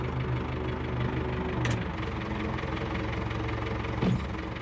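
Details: 680G backhoe started after a leaking hydraulic hose was reconnected and its fitting tightened. Steady diesel idle with the usual light clatter and an even low rumble, no stumbling. The hose no longer leaks; the engine idles normally.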